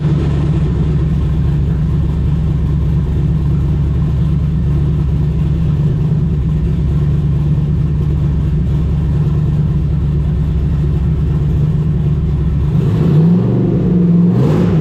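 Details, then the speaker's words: HED long-block V8 in an S10 drag-and-drive truck, Mast heads, Holley Dominator, on the dyno at the start of idle tuning after injector data change: deep, steady idle holding even, a couple of light blips; decent stable idle. "All right, so that's a pretty good start on the idle. We'll keep playing that with that as we get going, but not bad for a"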